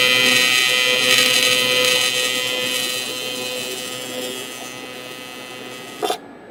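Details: Everlast TIG welder test hit with Nova torch, standard cup and collet, gas at 12 CFH: steady high crackling buzz holding even for several seconds, then cutting off sharply; smooth, stable normal arc.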